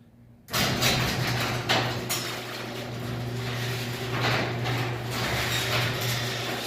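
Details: Garage door opener after cleaning dirty safety sensor lenses: steady motor drone with a low hum and some panel rattling as the door runs; it closes smoothly without stopping or reversing; normal closing.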